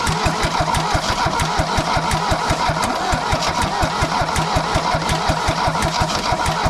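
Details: Mercedes W123 200D diesel, first start after about 25 years standing, new fuel lines and filters, refurbished injection pump timed at 24° BTDC: steady even idle clatter about three pulses a second, no misses or knocks.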